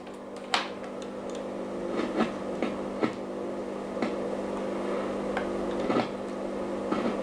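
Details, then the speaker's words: 1937 WW2 Telefunken Torn.E.b. radio during repair: sharp irregular crackles about once a second over a steady hum while tuning, like the tuning capacitor shorting or arcing; cause is the ungrounded tuning capacitor axle, a missing ground connection. "as I'm tuning it it sounds like the tuning capacitor is shorting out or something like that"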